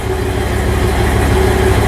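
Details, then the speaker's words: 1975 TEC Lark motorhome, Ford E350 chassis, 460 CID V8, C6 transmission, fuel boiling problem when hot: after kicking down from fast idle, deep steady idle with even low thump, no stumble or misses; normal idle. "Starts nice and easy. I ran it a week or two ago. That's a good idle speed. Sounds good."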